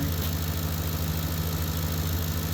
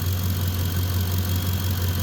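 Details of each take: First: Ford F-150 at steady idle with heated seats, blower and headlights switched on after field and communication wires were replaced: faint high whistle from the alternator, charging and holding normally under electrical load. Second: Ford F-150 running well at idle, about 14.3–14.4 V under load and no load, heavy battery: faint constant high whine over the low rumble as the alternator sings; owner suspects a bad diode but can't prove it.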